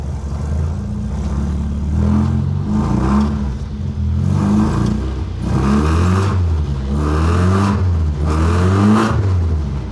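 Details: 1975 Toyota Corolla KE35 hardtop, not yet warmed up, exhaust baffle still fitted; engine revs up and settles back several times, smooth and even with soft exhaust note, no knocks; idles properly only with air con on; sounds healthy.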